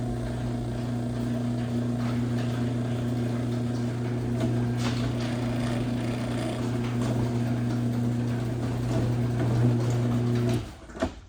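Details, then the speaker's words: LiftMaster 8557 Elite Series 3/4 HP opener on a 16x7 CHI 5283 door, recorded up close: smooth, even low AC-motor hum for about ten seconds, stopping cleanly; 3/4 HP units whine less as the motor warms; normal motor running. "that's what quality sounds like in an AC motor."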